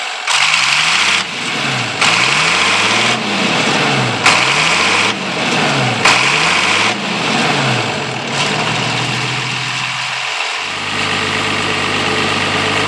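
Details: International 856 tractor engine, muffler removed and new straight pipe fitted: several slow cranking cycles, then it catches and settles into a loud, raspy but even idle through the open pipe; runs fine, normal idle.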